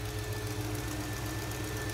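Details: 1970 Oldsmobile Cutlass very mild V8, revived after 15 years, adjusted back to about 10 and left there: steady, even low idle rumble, constant pitch, no stumbling or hunting. Normal smooth idle.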